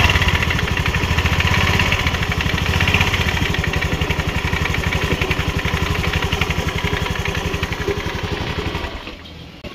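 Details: Honda Grazia 125 BS4 scooter at idle: a fast, uneven rattling throb of about four beats per second, traced to a worn, grooved CVT clutch bell and a damaged pulley, found with the clutch cover removed.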